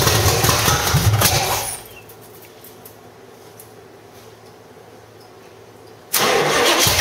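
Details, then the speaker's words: 1985 Stepside truck with cammed V8 (claimed 400 hp Corvette motor), headers, roller rockers: loud churning bursts with quiet lulls, extended cranking before it catches; owner blames a gummed-up old carburetor slow to get fuel flowing. "that old carburetor is uh you know pretty gummed up and stuff so you know it took a little bit to get the gas flowing through there"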